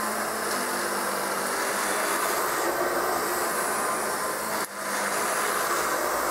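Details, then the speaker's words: Kirby 560 vacuum after a new Lexan fan was fitted: a steady high-speed motor roar with a dry, gritty whir and a noisy brushroll. The motor bearings are bad. "it's still not perfect as you can tell it still has a little bit of very noise in the motor and the brushroll is pretty noisy on it too"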